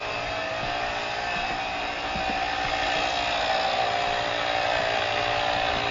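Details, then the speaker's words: GrePro 1533 portable USB-C tire inflator set to auto-stop at 40 psi, inflating a slow-leaking tire from 28.4 psi: constant buzzy drone with fast even pumping chatter, straining slightly as pressure builds; normal operation. "So I turn it on, it's gonna automatically stop at 40 psi. Let's see how long it takes to inflate this tire."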